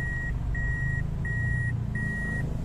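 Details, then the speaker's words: Toyota Altis 16-valve automatic, warm, idle about 1100 rpm: idle sags when AC switched on, worse in reverse, with steady two-kilohertz warning beep about every half second; weak battery suspected. "ipasok natin aircon y pagpasok ng aircon bumagsak do anan bumagsak na siya lalo na ikambyo natin sa reverse"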